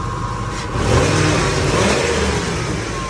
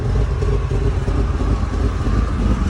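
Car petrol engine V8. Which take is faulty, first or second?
second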